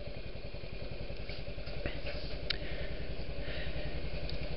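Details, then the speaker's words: Warmed-up Honda Jazz/Metropolitan scooter idling just after a spark plug change at about 700 km. Quick, steady single-cylinder putter firing evenly without misses, street noise behind: normal idle. "Anyways, it sounds like my scooter has warmed up."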